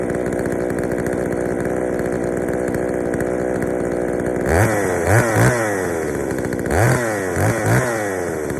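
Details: Poulan 3000 chainsaw, brought in not running, serviced with old dirty fuel drained and fresh fuel added; steady idle then several quick throttle blips rising and falling, runs pretty good but a bit rich on low speed, to be adjusted.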